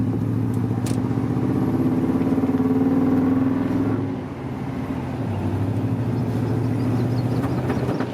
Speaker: There's some backfire. When you give it some hard throttle, you get a little bit of backfire. Something's just off, and I don't know what it is.